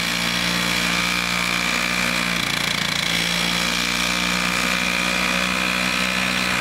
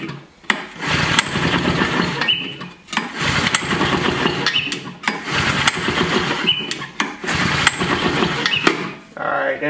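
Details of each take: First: Vintage Toro 19-inch Flymo hover mower, two-stroke, governor spring shortened to run about 3,700 rpm, kill switch fixed. It cuts frozen grass in snow with a steady high buzz, even speed, and no surging or misfire. Running healthy after repair. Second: Vintage Flymo hover mower, two-stroke, fresh two-cycle mix. Repeated recoil pulls sputter but never catch. The carburetor floods and leaks gas, suspected sticking needle and seat; a carburetor teardown and diaphragm replacement are planned.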